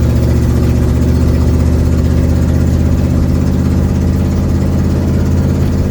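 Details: 1972 Ford Mustang driving home, phone in the dash, before repair: loud low engine drone with a rapid puffing pulse at steady speed, from an exhaust leak.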